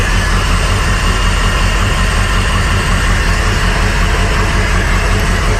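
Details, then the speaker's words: Crusader 8.1 Captain's Choice marine V8 running rough and not reaching rpm: uneven, loping idle with a slight stumble; unplugging the cylinder 7 coil gives no change, so cylinder 7 is dead, injector issue suspected. "then when you get to cylinder number seven which we'll do here in a second we found that there was really no change which will let you hear i didn't hear any change"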